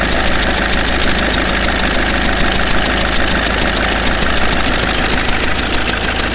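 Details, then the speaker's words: 2009 Mercedes C220 CDI after number 2 popped injector repaired with a Helicoil: diesel idle with uneven puffing tick about once a second over the clatter from number 1 and number 3 injectors, which still need doing; rhythmic chuffing. "okay a bit of a disappointing end to that one at the moment um number two the one the injector that popped out has been repaired and it's all okay but uh now we find that number one and number three need doing"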